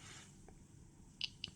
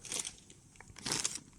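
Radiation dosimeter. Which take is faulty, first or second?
second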